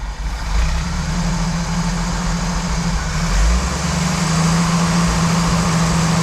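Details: 1988 Jeep Wrangler YJ Sahara 4.2 inline-six with carburetor: after timing set to 11° (spec 9°) and distributor vacuum moved to ported source, low uneven rumble wanders and never settles; throttle response better but still won't idle, carburetor suspected, unconfirmed.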